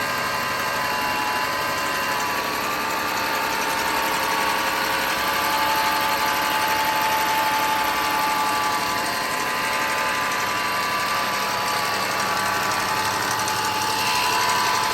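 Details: 2010 BMW 4.4 L twin-turbo V8, 75k miles, idling with fast busy top-end ticking and a thin steady turbo whistle-whine; bad turbo and noisy upper end suspected.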